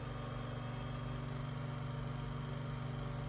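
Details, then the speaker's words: Room Essentials Velocity F-0411 single-speed desk fan, made March 2011: quiet hum with a soft regular rub about four times a second; not a dry bearing, suspected rotor rubbing stator, a blade, or something loose. "it doesn't really sound like a bearing noise it doesn't sound like a dry bearing noise it sounds like i don't know if that's the rotor rubbing on the stator or it could be a blade"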